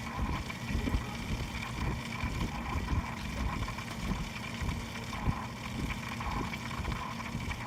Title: Pc grinding noise